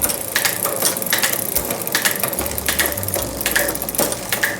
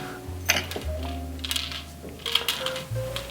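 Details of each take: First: Trek FX 7.3 hybrid bike in the stand, after lubing and setting the front derailleur barrel adjuster: quick clean clicks as the chain steps across sprockets over an even freewheel buzz, no grinding or skipping; shifting normally. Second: Trek FX 7.3 hybrid bike wheel turning: irregular light clinks and taps from a hard loose object rolling inside the rim, often a dropped spoke nipple head. The hub feels adequate but slightly crunchy.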